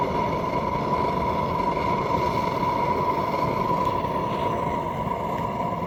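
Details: Tank supplying rebuilt kiln gas burners at about 1 psi on the regulator, all three burners lit during a night test run: steady even roar with constant mid tone, no sputter or flutter; normal burner operation.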